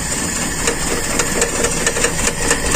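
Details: Carbureted Toyota Kijang: uneven idle with irregular stumble and sharp ticks, hard to run at low throttle, better with more gas; cylinder number one misfiring, traced to a vacuum hose leak.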